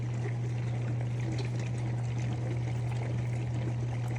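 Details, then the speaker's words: COMFEE' portable mini dishwasher running a normal cycle, fed by hose from a water bucket: low steady soft hum with water swishing and pouring, barely audible; quiet, healthy operation. "You can barely hear it running, it's just a little soft hum."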